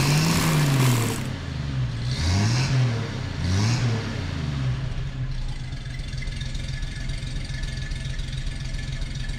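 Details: 1962 Chevy C10 with a newly fitted $40 eBay single-exhaust kit, on a lift: sharp throttle blips settle into a steady, deep V8 burble. Idles evenly, slightly rich, and the exhaust is louder than wanted because of the cheap muffler.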